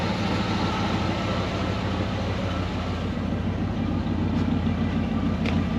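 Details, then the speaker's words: Ford 302 V8 Econoline van warming up after replacing bent #5 intake pushrod (suspected stuck valve); computer in open loop, oil burning off manifold. Steady low idle, slightly uneven lope, faint exhaust puff, no clatter from #5 anymore; running on eight, a bit rough. "apparently i fixed it it's not clattering on the number five cylinder anymore that's good it's running on eight"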